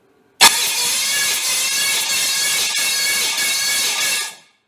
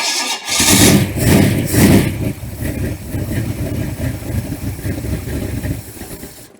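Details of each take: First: Freshly built 394 stroker V8, first turnover to check compression: loud, steady, high-pitched starter whir for about four seconds; normal starter cranking, compression around 170. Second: Freshly built 394 stroker V8, first start while cold, timing moved one tooth and not yet set: it cranks, catches with a few loud surges, then settles into a rough, lumpy idle; described as cold natured.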